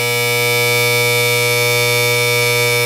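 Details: Gas boiler and water heater power venter with old crusty, long-unoiled motor, boiler not firing: loud constant mains-frequency buzz with a harsh edge, no speed change; venter motor failing, needs a new motor.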